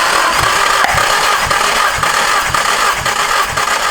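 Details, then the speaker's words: Engine cranking: even cranking pulses about two per second, no weak strokes; engine judged good; normal cranking. "But, I mean, the engine's good. If you were to ask Chris Rodnock, this engine is perfect."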